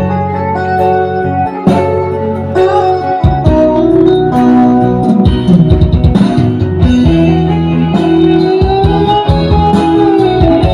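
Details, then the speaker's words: Sound Queen active speaker, previously hoarse and quiet: after replacing the speaker driver and gluing it, music comes through clean and full with solid bass and clear top, no rasp or crackle. It works normally again. "E dan ternyata betul setelah saya melakukan pergantian SP dari speakernya dan speaker ini nyala dengan normal kembali."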